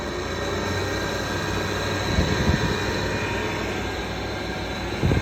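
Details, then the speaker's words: Roughly 10-year-old air conditioner unit with bad motor bearings: a constant rough drone with a grinding edge and a faint, steady squeal. The noise just started, and it sounds worse than the indoor unit. "n't know, that just started making that noise. So I guess it's another one with bad bearings."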